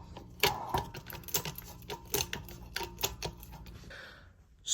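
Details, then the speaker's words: Hunter Builtmore ceiling fan salvaged from scrap, broken switch housing; motor spins with irregular clattering and sharp ticking over faint hum. Worn bearings, later described as locked up. "yeah this fan actually spins now the bearing sound terrible as you can hear I'll insert a clip of what I was dealing"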